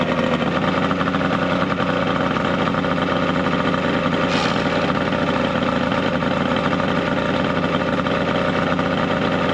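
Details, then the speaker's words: 70HP two-stroke Mercury outboard on a 1967 Duo boat, running on water hose ears with battery, not hot: steady, crisp buzzing idle and revving, even beat, no stumbling or knocking; hard starting but runs very well once running. "honestly she's a little hard starting but once she's running she runs good like super good like scary good"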